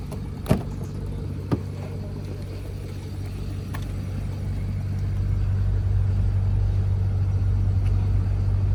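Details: 2011 BMW 528i F10, N53 3.0 L I6, 272 hp, check engine light on: low uneven rumbling idle with lumpy, diesel-like shake; engine misfiring and running rough.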